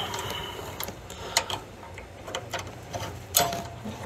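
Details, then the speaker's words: Furnace with no heat, draft inducer jumped to 120 V works; sharp irregular relay clicks from control board with no motor hum, inducer never starts, bad control board. "oh did you hear that try to kick on yeah I think we got a bad board"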